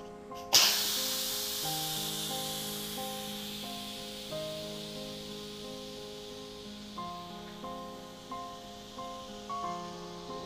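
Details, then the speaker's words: Yedi Houseware first-generation electric pressure cooker, butternut squash after second 10-minute cook, cancel then quick release: loud hiss bursts as vent opens, tapering as pressure bleeds away, music behind; normal steam release. "the second 10minute cooking time period has finished we're going to hit cancel we're going to do another quick release"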